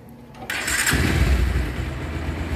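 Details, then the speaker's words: Bajaj Pulsar motorcycle after engine work and full service with new spark plug, air filter and engine oil: short starter whirr, then clean firing into an even, steady idle; normal engine start. "সাউন্ডে কমেন্টস করে জানিয়ে দিবেন। একদম সুন্দর সাউন্ড।"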